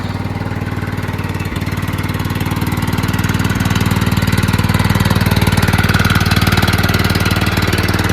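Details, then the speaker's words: John Deere LT160 rebuilt Kohler Command single-cylinder (16 hp block, 15 hp crank and rod) at full throttle riding around the block after about an hour of running; steady even thump under load, no misses or knocks; normal running. "it makes it around the block Full Throttle no problem then it's good to go also I've been running this thing for like an hour today testing you know so I think it's good"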